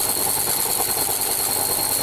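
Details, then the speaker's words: Hotpoint/Indesit-type washing machine C.E.SET motor, recorded from underneath while spinning. A steady high-speed whir with a crackling clickety noise and thin whine comes from one worn carbon brush with bad contact arcing and sparking; it was later replaced with new brushes. "You will also hear a very distinctive clickety type noise when the motor's spinning. This is due to the one carbon brush on this machine which has got a bad contact and is making an arcing type"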